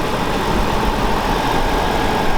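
A steady, even V12 idle with a smooth low hum and no misses, knocks or ticks; the engine is running healthy.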